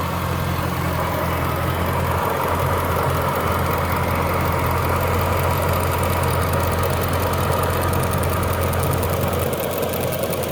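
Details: Jaguar S-Type R at idle: uneven light tapping, roughly a couple of taps a second, rides over a steady idle; a top-end tap of unknown cause.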